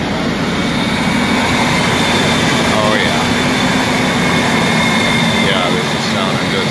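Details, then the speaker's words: 2004 Ford F150 5.4L Triton V8 after VVT solenoid replacement: loud, steady idle coming down smoothly with fan hiss over it, no misses or knocks. "coming down on the idle now smooth man smooth"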